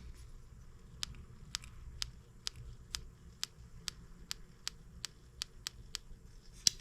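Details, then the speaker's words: Spark check on a new M25 sideshaft engine that had sat under a workbench, before fuelling and first start: crisp, even dry snaps about twice a second; ignition present. "oh we got ignition so put our boot back over it make sure our switch is off"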